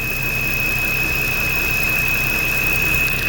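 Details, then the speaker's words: 2009 Land Rover LR2 (Freelander 2) petrol engine at idle with a loud, steady high whistle, plus rough idle, backfire and codes P0171/P0174. The cause is a clogged PCV valve in the intake manifold, and the fix is replacing the manifold (LR023777). "the problem is this right here you got to replace this manifold this says PCV valve it gets clogged"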